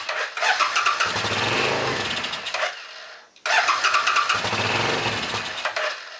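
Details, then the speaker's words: A Suzuki S50 Boulevard 800 V-twin, believed to be a 2006, that sat for years gives two short bursts of rough, uneven firing that die out, with brake clean sprayed into the front carb. It runs only on the rear carb: the front lacks fuel flow and the rear overflows, so both carbs must come off. "So, it's only running on the back carburetor. Adding fuel to the front carburetor makes it run on both. So, there is a lack of fuel flow to the front carburetor and the rear carburetor is overflowing."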